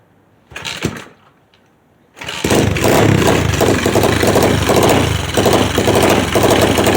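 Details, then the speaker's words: Customer's second SSR pit bike after carburetor rebuild, which previously started only on starter fluid: a few short cranking bursts, then it catches without fluid and settles into a fairly even, lumpy idle with steady pulses. Normal idle. "down we go she took a little second but she's up and running no starter fluid need it iding pretty nice and good"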